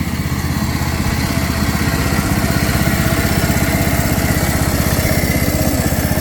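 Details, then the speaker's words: 2007 John Deere Z225 zero-turn mower after carburetor and head gasket repair, burning off residual oil from the muffler: the single-cylinder engine runs steadily at about four beats a second with a firm, even exhaust note. It ran fine and the smoke cleared. "It ran fine. The smoke cleared up."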